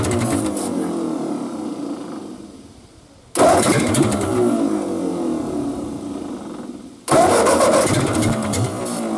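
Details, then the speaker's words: Ford 8N tractor, sat about seven years in a field with manifolds open, on a battery swapped from a truck: two bursts of quick, even starter churning without catching; now cranks briskly, carburetor gummed with needle suspected stuck. "let's uh hook this thing back up and see what we got this time spins a whole lot"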